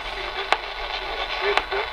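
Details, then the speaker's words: 1960s Channel Master 6506 six-transistor AM radio tuned to a weak station: two sharp isolated clicks about a second apart break through the audio; intermittent interference from an unidentified source around the house, not the radio. "yeah I know it's doing that click thing again I still haven't figured out what that noise comes from around the house"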